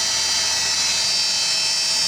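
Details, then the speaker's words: GE 3500 W power supply in a GatesAir ULXTE UHF solid-state transmitter, San Ace 38 fan: loud constant high-pitched whir with a thin whistle and no low end; bad fan bearing. "as you can hear one of these uh Power Supplies made by GE has a really terrible fan in it"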